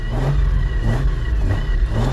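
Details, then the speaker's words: Drift car with a CD009 transmission, after fixing a suspected transmission, clutch or flywheel clatter: engine revs up and settles in smooth waves, usual gearbox noises but no odd knock or clatter; the earlier noise is gone. "definitely some noises here, but not the noise."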